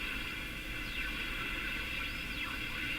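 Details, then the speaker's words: Canadian Philco model 57 tube radio while tuning: steady hiss with faint whistles sweeping in pitch; heterodyne tone and swooshing, owner suspects the IF amplifier oscillating, not confirmed. "clear the hetrodine tone. Almost no difference. Is it just that it's so poorly aligned?"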